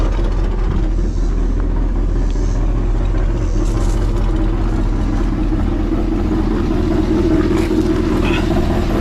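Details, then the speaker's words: 1986 Suburban C20 with freshly rebuilt 6.0 LS LQ4 V8, Summit stage 1 truck cam, first start cold: deep loud uneven idle rumble with an exhaust leak and worn-out muffler; valvetrain sounds good. "Aside from the exhaust leak, it sounds good. I'll let it get up to temperature and Valve train sounds good. Piece of shit muffler."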